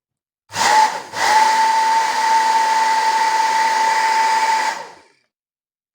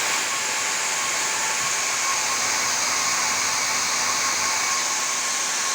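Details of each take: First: Professional hair dryer after motor replacement, short runs on speeds one and two without heating: smooth, even fan rush with a steady high motor hum, no rattle or grinding; the new motor runs quiet and healthy. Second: Worn old motor from a professional hair dryer after several years of use, run on the bench: steady high, hissy whir with a rough, gritty edge; a brushed motor with a worn, grooved commutator and brushes.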